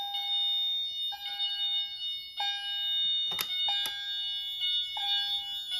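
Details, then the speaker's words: Notifier NFS-320C fire alarm panel demo, fire alarm activation: the Wheelock AMT plays a bright two-note electronic chime about every 1.25 seconds as the general alarm signal, alongside the CHDF1. "For any fire alarm condition, the CHDF1 and the Wheelock AMT will activate. The AMT will play a chime tone."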